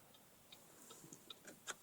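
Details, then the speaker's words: 2005 Chevy Cobalt that died while driving and won't restart, a day after a new battery: faint, even relay clicks about three a second. Hazards flash inside but not outside, dome light dead, windows partial. Starter turns the engine when jumped, but it won't start. "And the hazard lights flash within the vehicle, but not outside the vehicle."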